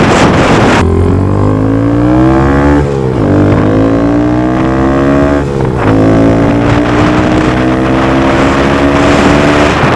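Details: Honda Grom accelerating after DHM S1 camshaft install with aftermarket exhaust and adjusted valves: clean even note climbing through each gear, quick dips at shifts, no knocks or rattles; gets up to speed quicker; normal running under load.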